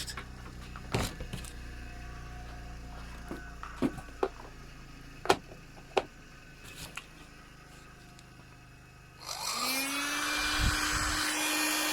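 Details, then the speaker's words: Auction-bought hot air gun, unloaded bench test: a few handling clicks, then a steady rushing fan whoosh with a low hum holding even; normal operation. "you can hear it there's nothing wrong with that"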